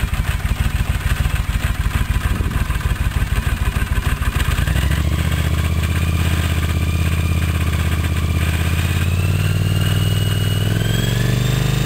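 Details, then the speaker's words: Honda CX500T with nasty rattle at idle continuing as revs climb: harsh, uneven clattering; once suspected cam chain, but it stops when the clutch is pulled in, so it is in the clutch or transmission. "If you watched my earlier videos of the bike running, you could hear there was a pretty nasty rattling sound coming from it."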